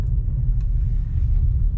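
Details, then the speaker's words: Nissan on a test drive over a speed bump and through slow sweeping turns after repair of a clunking noise from the left front; steady low road rumble with no clunk or creak from the front suspension. "hear no creaky noise beautimist all right one quick spin around the block and this one's done so see you guys later"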